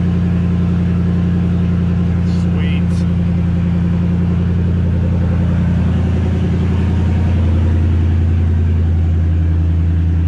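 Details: 2003 Ford F-150 with Coyote V8 swap, first run after fixing reversed bulkhead pins: smooth, even V8 idle holding a steady low beat with no misses or knocks for ten seconds; normal idle.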